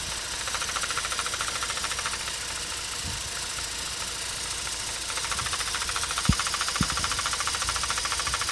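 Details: Mazda RX8 231 bhp rotary idling with light, loosely regular tapping about three a second plus sharper clacks, from the SSV; valve removed and cleaned, actuator link suspected, needs a new unit or rebuild.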